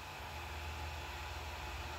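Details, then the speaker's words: Creality Ender 3 Pro after upgrading to the Creality silent mainboard (firmware 1.1.8), printing a test print: only a soft, even fan hiss with a faint low hum and no stepper whine or buzz; most remaining noise comes from the fans. "the printer is now very quiet most of the noise is now coming from the fence"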